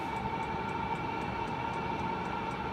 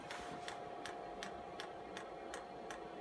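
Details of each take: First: Chinese heater (owner's term) with a makeshift air filter on the induction side, first lit after priming and bleeding the pump, in a quick test: steady blower hum, held mid tone, even combustion rush and light regular ticking; running normally. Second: Chinese air heater bench test with makeshift air filter: sharp, even dosing-pump ticks about three per second while priming and bleeding air from the fuel line; heater beginning to fire.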